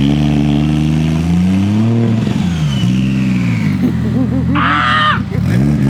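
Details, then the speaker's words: Scratch-built 1JZ-GTE six-cylinder swapped into a Nissan 350z on first start-up: revs cleanly, falls back and holds an even idle on its own, no misfire or stumble; running properly. "yo it ran and idle bro ran good by itself ran good"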